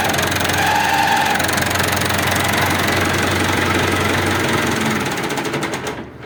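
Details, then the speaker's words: Massey Ferguson 265 4WD tractor, diesel running: rhythmic knocking at nearly four per second heard when the clutch pedal is pressed; clutch kit (disc, pressure plate) to be replaced and flywheel inspected. "Ouviram aí, galera? Esse é o barulho que ele faz aí quando pisa na embreagem, entendeu? Esse aí é o barulho."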